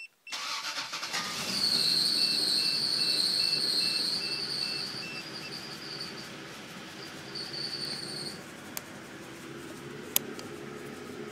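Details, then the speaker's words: Freshly built Toyota 6M engine (7M block, 5M head), about 15 minutes of idle, cam timing not exactly set: cranks and catches, then settles into an uneven idle with a recurring stumbling miss; cause unknown, oil pressure good. "and you see it's kind of got a weird idle it's got a kind of a Miss I don't have the cam timing exactly on"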